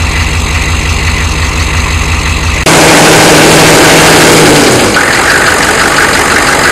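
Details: 1993 Chevy dually 6.5L turbo diesel 4x4, smoky cold startup without block heater, idling: regular knocking beat near three per second over the rumble, then a loud rush of noise masks it; engine knock of undetermined cause.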